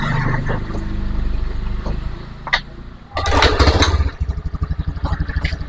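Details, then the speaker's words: Honda Beat FI with a hard-starting complaint, after engine reassembly with the cylinder block bored oversize: on a weak battery it is kick-started, catches after a few kicks and settles into an even, steady putter. "teman-teman bisa Perhatikan ya Jadi untuk motor ini sudah hidup ya"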